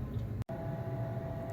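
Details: Weber SmokeFire EX6 pellet grill after auger assembly replacement, about three minutes after startup, pellets feeding and smoking: low steady fan hum with faint mid tone, no grinding or clicking; running normally.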